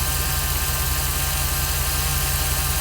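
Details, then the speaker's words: 2006 Jeep SRT8 6.1 Hemi, high mileage, warm after about 9.5 minutes: steady, even idle with zero misfires, so the cylinder 5 P0305 misfire occurs only cold despite new plugs, coils, rebuilt injectors and intake gaskets. "No misfires at this point, so this is definitely a cold fire misfire."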